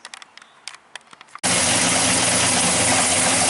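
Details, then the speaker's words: 1968 Chevy Chevelle, carbureted LS 5.3 V8, after water pump and clutch fan replacement: a few clicks, then fires and holds steady even roar, no knock or squeal; only slight fan clutch noise, much quieter. "not too loud yeah that's definitely way gooder"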